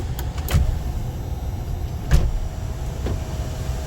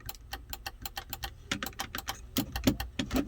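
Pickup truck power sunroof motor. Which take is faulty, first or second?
second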